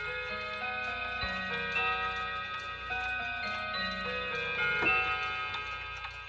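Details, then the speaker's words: Chinese Polaris 31-day wall clock with a German-inspired movement, closed mainsprings and a two-rod strike: clear ticking with ringing metallic rod chimes that decay evenly, the peculiar but normal strike sound of these clocks. "These Polaris clocks, and just in general the Chinese clocks that are similar to this, have a very peculiar strike sound."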